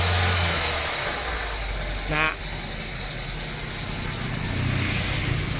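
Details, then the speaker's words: Nissan A/C after leak check, evaporator and system flush and conversion to R134a: engine idles steadily with the compressor humming evenly, no bearing growl or rattle; old compressor bearing replaced, compressor oil changed; both fans working normally. "มีเสียงการทำงานถือว่าอยู่ในเกณฑ์ปกตินะครับพัดลมทำงานปกติทั้งสองตัวนะครับ"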